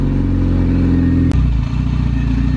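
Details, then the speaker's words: Sleeved Acura GSR B18 on AEM EMS, cold, first start after fuel filter work. Loud idle with a rough clatter that goes away when the clutch is pushed in: loose clutch discs flopping around. "Push the clutch in. Let it off. Hear that noise go away? The discs aren't flopping around anymore."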